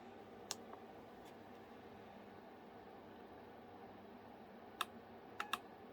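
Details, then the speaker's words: NOCO GB40 jump starter connected to a motorbike's removed low battery, switched on: a few sharp irregular clicks over a quiet hum as the unit runs its normal startup sequence. "You can hear the unit clicking, which is going through a sequence."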